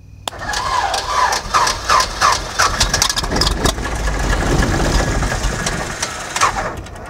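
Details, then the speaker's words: 1947/48 Beechcraft Bonanza 35 V-tail piston engine, abandoned about 20 years, cranked with petrol and starting fluid primed: ragged cranking with a few uneven catches that pop and fade; fires briefly but never keeps running. "Clamp her up. Hey, we got a little life. Woohoo. Want a little more morning juice?"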